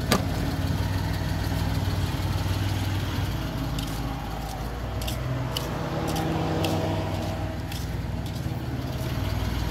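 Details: Suzuki Multicab F6A petrol engine at a steady low idle with an even beat, no misses or knocks, after the shorted fuel pump that kept blowing the ignition coil fuse was fixed; running smoothly.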